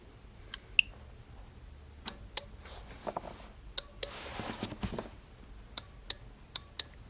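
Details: Car relay tested on a V200 PRO tester after the coil measured 81 ohms: sharp, crisp single clicks in a quiet room as the relay is energized and released, switching cleanly and working normally.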